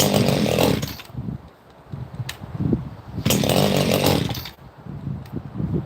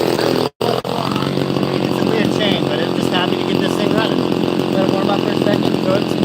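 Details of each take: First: Two-stroke chainsaw just started cold on full choke after several pulls: burbles and blips unevenly, sagging between revs instead of holding a crisp note; it sounds a little rich, so it is left to warm up. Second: Chainsaw, apparently an XL Super XL Automatic, with all-factory unmodified exhaust: after a brief cut-out, a steady, fairly quiet buzzing idle with an even pitch and no stumbling; purrs along, idling healthy.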